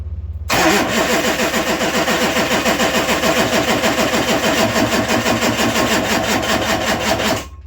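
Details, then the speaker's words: LB7 Duramax diesel during an 88-98 Chevy NV4500 swap, jumper-started on a new stand-alone harness: brief crank, instant catch, smooth even quiet idle with no knocks; no oil pressure gauge fitted, owner assumes good oil pressure. "So I don't have an oil pressure gauge or anything hooked up. The thing's really quiet, so I'm guessing that, you know, it's got good oil pressure."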